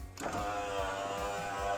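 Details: Subaru Forester driver-side window motor after replacement, ignition on, window driven down and up: smooth, even motor whir at one steady pitch through full travel, no grinding or clicking; window motor working normally.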